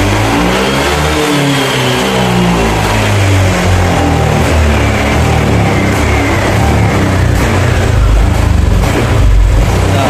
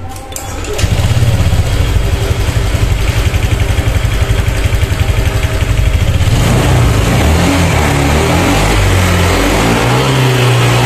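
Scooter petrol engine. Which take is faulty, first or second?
first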